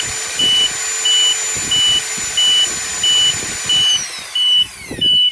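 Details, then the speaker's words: MEBAY engine control module for a genset or pump engine, with overspeed programmed at 1500 rpm: a high beep pulses about every two-thirds of a second as the engine whine winds down, confirming the overspeed alarm works. Overspeed alarm. "Modul baca alarm ya, overspeed. Alarmnya akan berkedip seperti ini. Overspeed. Nah, berarti ini berfungsi."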